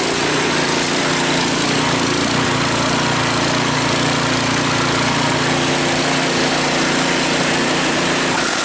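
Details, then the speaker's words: Cub Cadet 5 24 snowblower, running after a weak-drive repair: engine at steady high speed with a loose busy rattle, from rubber pellets rolling around inside the housing; drive now much stronger. "Makes that sound because of the rubber pellets running around in there."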